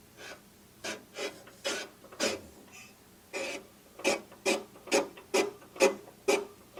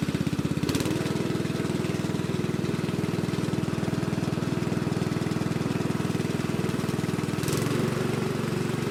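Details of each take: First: Predator engine being swapped into a trash-found Lesko walk-behind leaf blower, turned by hand: slow rhythmic scraping, one rasp per turn at about two a second, as the flywheel rubs a housing rivet; pulling the flywheel out slightly stops it. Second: Lesko walk-behind leaf blower from a curb find, swapped to a Predator single-cylinder engine, first start: fires steadily about three beats a second, holding speed evenly without misses; running healthy.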